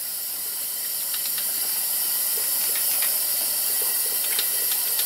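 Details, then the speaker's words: 2007 Honda Ridgeline 3.5 V6, about 78–79k miles, rough running with a misfire: on a leak-down test at 100 psi with the engine off, a steady hiss of escaping air shows about 78% leakage, possibly via the crankcase, intake or exhaust. "so that's a lot of blow by can be going a couple places be going out the crank case uh which is a possibility intake or exhaust so intake exhaust easiest thing to listen to I do hear some hissing in this vicinity"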